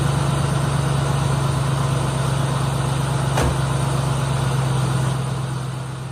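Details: 2003 Ford Mustang SVT Cobra V8 after 4 months of winter storage, dead battery replaced with new Motorcraft BXT-59: steady deep idle, even low drone, no misses or knocks, settling smoothly; normal healthy idle.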